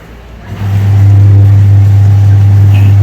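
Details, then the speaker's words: LG semi-automatic washing machine after gearbox replacement: motor winds up within a second into a smooth, steady low hum with no knocking or rattling and no water leak; wash drive running normally. "അയ്യോ, നല്ല ഉഷാറായി ദമ്മിൽ തന്നെ washing machine കറങ്ങുന്നുണ്ട് കേട്ടോ."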